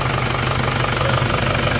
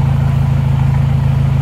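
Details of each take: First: Isuzu Panther diesel with severe blow-by (ngobos), before repair: heavy smoke at the rear; idle not harsh and timing correct, but it shakes unevenly, knocking about four times a second as if about to die; stuck rings. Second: Isuzu Panther diesel just after overheat/seizure repair (warped liner/block polished, not sleeved), first start: even, steady idle with a regular low pulse, no knocks or misses; thin black smoke, no dipstick blow-by; engine sounds healthy.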